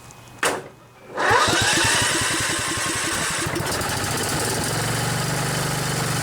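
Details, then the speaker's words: Kohler Command 14 engine on an LT 4000 riding mower, sitting a long time: pops, catches roughly and runs unsteadily to an uneven idle. A hard start after storage; owner wonders if it is out of gas. "All of these mowers have been sitting a while, so they're Kind of having a tough time starting up."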